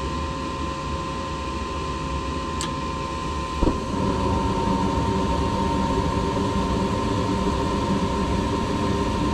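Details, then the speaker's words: Furnace with a newly installed inducer motor replacing the old one; the customer had complained of loud screeching and the heater not working. Steady even hum and airflow with a constant whirr, no squeal or rattle, spinning so fast it looks still; normal running. "so this inducer is spinning so fast that like it looks like it's not moving"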